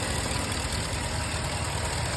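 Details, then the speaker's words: 5.7 Hemi truck on Red Line 5W30 oil, about 600 miles since oil change, recorded in cold weather near the engine: smooth, even low rumble with only light injector ticking, no piston slap; normal idle. "there you guys see it that's how quiet that hand is with their uh 5w30 redline motor oil"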